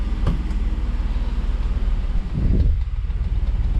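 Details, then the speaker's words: 2008 Jeep Wrangler 3.8L V6 after a preventive PCV valve replacement: low, even idle pulse with steady rhythm, no misses, ticks or hunting; smooth healthy idle with no check engine lights. "As you can see here, we have a pretty smooth idle, which is what you want."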